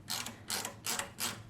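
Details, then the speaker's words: Ratchet after being reassembled and tightened, where a spring lacking backup or play was suspected: crisp, evenly spaced clicks about three per second, each a sharp little burst; the pawl now works as it should. "Sounds like a ratchet."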